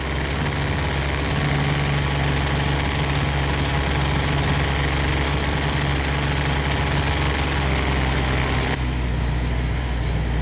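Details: Husqvarna 223L string trimmer after a Zama carburetor rebuild (RB-69 kit): busy two-stroke buzz holding a steady low idle without stalling or hunting. Owner says the idle could be opened a bit more. Normal idle.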